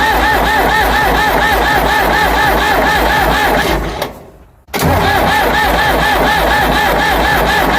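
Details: Ford 555 backhoe diesel after the head was reinstalled, with a temporary fuel return line. Slow steady cranking around two and a half beats a second, a pause, more cranking, no fire; the owner suspects gelled fuel or a plugged filter.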